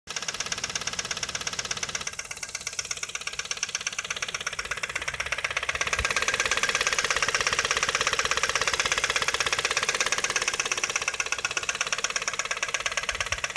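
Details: Ford Focus 2 1.8 at idle: steady rapid sharp ticking knock, about three per second, over the engine; oil level checked, owners unsure of source, perhaps a bent part they touched: engine knock, cause unknown.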